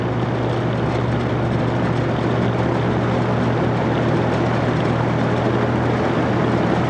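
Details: Vintage General Electric 3-speed reversible box fan, heard from the back during a low-to-high run-up: smooth, even whoosh of air over steady low hum, no ticking, rubbing or wobble. Normal running.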